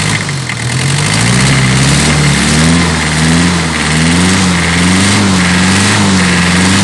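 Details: Toyota 1C diesel with hard starting, shaking and noise: uneven idle with wavering pitch and lumpy rhythm instead of steady clatter; runs rough, cause unclear.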